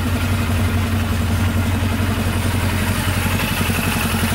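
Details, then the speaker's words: Polaris Sportsman 500 4x4 ATV after its no-spark problem was fixed. An even single-cylinder idle with no knocking or misses and no smoke; it runs really smooth. "yeah everything's smooth really smooth it's running great no smoking"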